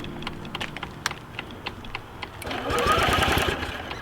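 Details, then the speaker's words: Metropolitan scooter with bad gas and stuck throttle cables: rapid ticking crank about three a second, then a brief rough burst of firing that dies; won't run on the damaged carburetor, later replaced. "come on baby like it tried it legit tried"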